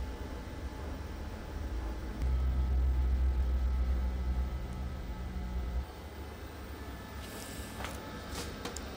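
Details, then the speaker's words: LG 20 kg washer-dryer that earlier showed dHE, now getting plenty of heat: smooth steady low blower hum without rattles or scraping; blower working continuously and normally. "Yes, it's getting heat. No any problem. Blower also working continuously. Yes, it is too much heat. Blower also working continuously."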